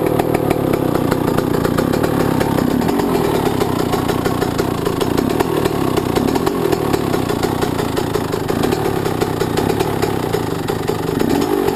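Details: Yamaha YZ125 two-stroke, either the 2001 at its first start after a rebuild with a new Wiseco piston kit or the freshly rebuilt 1999; crisp, buzzy, steady running with sharp ringing exhaust note, no knocks or rattles — normal healthy running.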